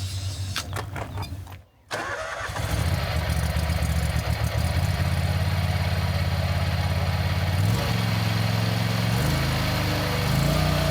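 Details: Country Clipper Boss SR1200 zero-turn mower at full throttle (needed to engage the belt): engine catches after a short pause and settles into a steady, even beat with no knocks or misses. Runs healthy.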